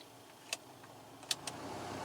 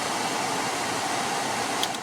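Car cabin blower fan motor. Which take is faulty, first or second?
first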